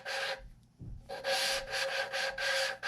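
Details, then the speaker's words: Valve lapping on a cylinder head being rebuilt for a V10 swap into a 1981 Dodge Ram: gritty rasping strokes, about two a second, as the valve is twisted with compound; still grinding, so the seat isn't finished until it goes silent. "now you can hear it grinding and what you're listening for is for it to get silent"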